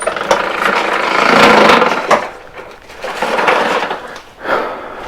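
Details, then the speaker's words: Commercial Toro mower, heavy daily use, harsh rasping grind in uneven surges from a rear wheel, from the gears inside, a damaged pinion gear in the wheel drive. "back wheel making a whole lot of bad noises, and that bad noise is most definitely coming from something to do with the gears inside there."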